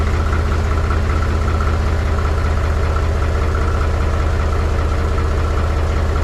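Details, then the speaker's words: Mahindra 3525 diesel tractor cold-started at 18–19°F after about 1.5 months unused, with low battery boosted: heavy, knocky chug about four pulses a second. Rough cold idle. "t's running a lot better now it didn't like that cold stting I can tell you that so you see right there not smoking no more"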